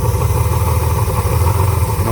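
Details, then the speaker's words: Carbureted Honda Goldwing GL1500: rough uneven idle with hissing and slight backfiring from a disconnected hose on the air breather; covering the hose stops the backfiring. Vacuum leak. "this hose was not connected because as you can tell it's backfiring just a little bit"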